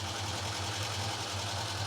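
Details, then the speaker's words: Chevette barn find, first run in about ten years, with new plug leads, possibly running only on fuel already in the carburetor: a steady low idle with a faint, irregular stumble. Slight misfire at idle, cause unconfirmed. "There is a slight miss. But to be honest,"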